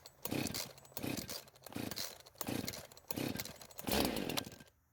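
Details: Husqvarna chainsaw that wouldn't start, now fitted with an aftermarket carb, running 89-octane ethanol-free gas with synthetic two-stroke oil at 50:1; revs in repeated crisp bursts about once a second, clean into wood without stumbling; runs very well and cuts okay.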